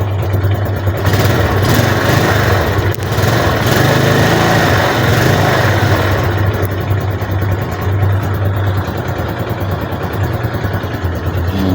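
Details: Motorcycle after battery recovery, with battery checked as good before starting: it catches and settles into an even idle with no misses or rattles. Starts and runs normally; normal idle.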